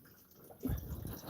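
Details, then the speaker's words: Replacement thermostat job on a 2006 Matrix: squeezing the lower radiator hose makes coolant gurgle and slosh out the top, showing coolant is still in the system; fan assembly removed for access. "but if I push on the lower radiator H you can hear it coming here gurgling out the top"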